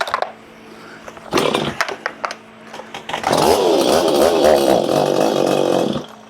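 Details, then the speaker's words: Stihl 025/MS250 chainsaw reassembled after port work, with a replacement exhaust, started on the third pull: it runs rough and wavering, with revs hunting instead of holding steady. May need carburetor work; uneven running after rebuild. "May need some carburetor."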